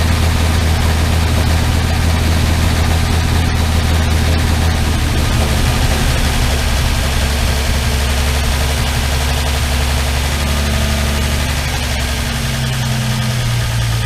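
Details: Armstrong Siddeley Star Sapphire engine in open-topped sprint special, first running in probably over 40 years: steady, even low idle with no misses, knocks or ticking; sounds remarkably sweet.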